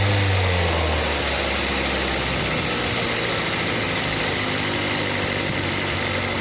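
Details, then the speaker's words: 2005 Ford Focus ZX3, about 200,000 miles, after repairs for high idle with P2004 and P2006 codes involving the IRCV actuator: steady settled idle with even beat, no hunting or surging; idling normally. "so here's the final shot of everything working right and I'll catch you on the next one"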